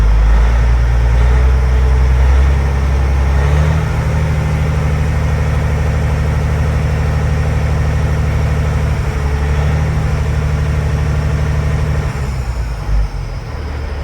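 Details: Freightliner FLD semi with C15 diesel after oil and filter change: smooth even drone at fast idle with no knocks or misses, oil pressure about 70 lb; normal diesel running at raised rpm.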